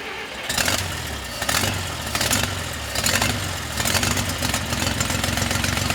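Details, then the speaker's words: 1960 Bombi tank first running after its distributor was rotated 180 degrees and ATF was left in the cylinders: rough, uneven revs with a faint light knock. Owner suspects a valve; cause not confirmed. "oh that's a valve a wee bit of knock in here"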